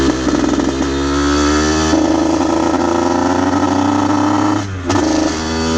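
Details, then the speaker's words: Aprilia RS50 frame with YZ85 two-stroke engine, after fitting oil-soaked clutch plates: the raspy note sags and stumbles on throttle, breaking up and bogging right off the bat; cause unknown, owner suspects tuning. "i took it out on the street as soon as i hit it just it just died immediately just bogged just right off the bat"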